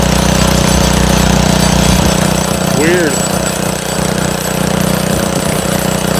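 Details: Montgomery Ward rototiller, small single-cylinder engine, runs fast and uneven, then sags and loses rhythm; fuel in tank looks milky/cloudy, owner suspects water in the gas or carburetor trouble; rough running.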